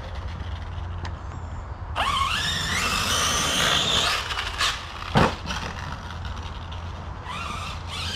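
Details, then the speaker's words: Traxxas Sledge RC truck after a bashing session at a BMX track: high motor whine with harsh, gritty lawnmower-like grinding under throttle, first suspected as the rear diff but actually the pinion gear working loose on the motor shaft; truck then stopped moving. "Sounds like a lawnmower. Right, last jump, then we're out of here. Wow, listen to that. Oh, and there's, oh, it's the pinion, guys, pinion's off."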